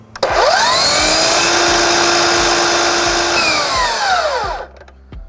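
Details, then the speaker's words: DeWalt FlexVolt 60V miter saw running on 9Ah batteries, revved up: motor spins to a high steady whine, holds evenly, winds down smoothly with no rattle or grinding; sounds totally normal. "I'm going to show you real quick when this is on and I rev the saw up with batteries it sounds totally fine"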